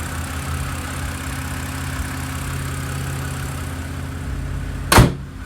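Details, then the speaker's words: BMW E90/E92 after reinstalling a VANOS solenoid for a stutter and rough idle: even, steady idle with smooth low hum, no stumbles or misses, one brief click; idle much improved. "Guess we just got to see what happens. Constant idle."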